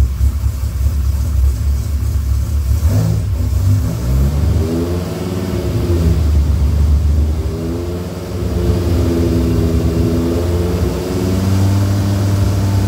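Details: Rebuilt Dodge Viper V10 first startup after engine rebuild, oil pre-primed to 40 psi cranking: strong even idle, clean throttle blips climbing and settling without misses or knocks; about 60 psi oil pressure, no leaks, radiator warming, sounds healthy.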